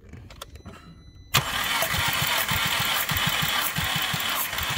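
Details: 2010 VW Passat with misfire, compression test cranking on jump pack, last cylinder: brief quiet clicks, then steady cranking with even pulses about three per second, no misses; all cylinders within spec; normal cranking.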